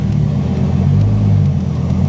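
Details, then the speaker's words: Dodge Viper's newly installed GCC triple-plate clutch on its first drive after install: deep, even engine rumble pulling away with no judder, shudder or grabbiness as the clutch takes up; very smooth, normal engagement, as smooth as the stock-style clutch removed. "Engagement is very smooth. Very smooth. No problem at all. Oh yeah, very, very smooth engagement."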